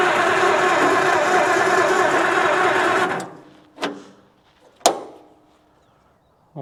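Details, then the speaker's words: 1937 Oliver Hart Parr 70 tractor started in neutral with choke and throttle, oil pressure showing. It runs rough for about three seconds, then stalls with clunks. Fuel is reaching the carb and spark is present; owner suspects it is cold-blooded. "Are you that cold-blooded or what? Okay, everybody calm down. Well, I think this might be that cold-blooded."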